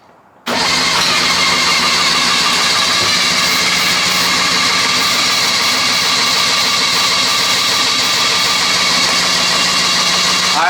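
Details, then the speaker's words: 1974 Daihatsu S38 mini truck, fuel poured directly into the carburetor and spark plugs fitted: starter churns evenly and rapidly for about ten seconds, engine tries briefly but won't catch; cranks but won't start. "it tried for a little it did try for a second I need the come on bety whole lot of nothing"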